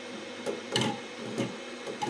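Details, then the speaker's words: Two Trees Sapphire Plus CoreXY 3D printer with direct drive, first print: irregular hollow knocks every half second or so over the running hum. The turning filament spool is banging into the frame extrusion, harmless. "okay not an issue not an issue it's just the uh spool that's banging into this"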